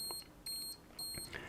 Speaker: C'est-à-dire que par exemple si on est sous-exposé, si je remets le capuchon dessus, si on est sous-exposé dans un mode par exemple de programme, quand on est en dessous d'une certaine vitesse, il va commencer à biper